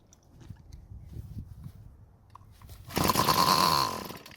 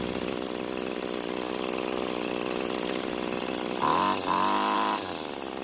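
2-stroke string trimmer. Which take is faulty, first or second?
first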